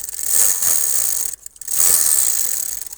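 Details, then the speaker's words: Bicycle held upright while the pedals are turned: the chain whirs with uneven ticks and knocks about forty a minute; the drivetrain knocks while pedaling, source unclear. "Чука като се движа. Чувате ли трака?"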